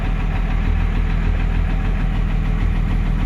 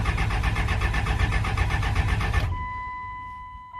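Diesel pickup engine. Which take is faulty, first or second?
second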